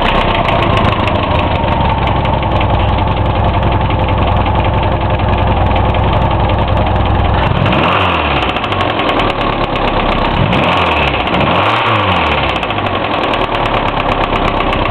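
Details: Hillman Imp engine, freshly reassembled, one of its first starts: heavy, fast knocking over a rough idle, unchanged through blips; bearings and tappets checked within tolerance, oil full; source unknown.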